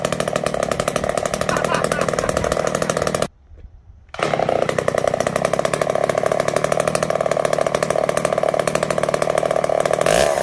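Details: Poulan 306A chainsaw revived, filters cleaned and still slightly wet, fuel added: small two-stroke revs hard and steady with a brief cut-out, then picks straight back up to a clean buzz; running fine.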